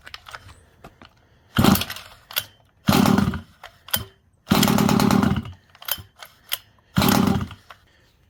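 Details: Rovan Baja 5b 1/5-scale RC two-stroke, neglected, fresh fuel, line purged, choke then off: short buzzing bursts, dies each time, no steady idle; idle set too low, more idle screw added.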